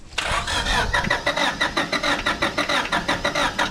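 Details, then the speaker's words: 1996 Honda Civic coupe, sat untouched 8 years, cranked at wide-open throttle with starting spray: even chugging crank, four or five pulses a second, never fires; no fuel pressure, fuel pump suspected dead; crank no start. "So far it looks like we're not getting any fuel pressure, so the pump's probably dead."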